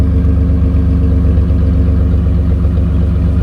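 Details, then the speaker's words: 2007 Dodge Ram 1500, 3.7L V6, after a DIY Walker muffler and tailpipe replacement: low, even exhaust burble with a smooth steady pulse and no rasp, rattle or leak puff; not louder, about like factory. "It sounds about like it did when it was factory. Some people said this muffler was a little louder. I don't hear it."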